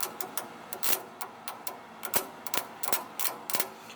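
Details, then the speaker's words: Vibration motor on a mini 1–1.5 ton compactor roller, powered directly after a circuit tester could not carry enough current: irregular dry clicks and knocks, about three a second, but it will not spin; owner suspects the motor needs replacing or rebuilding. "you can hear inside of here it's trying to turn. So I think if we can just replace this motor, rebuild it, whatever, that should give us a motor that spins."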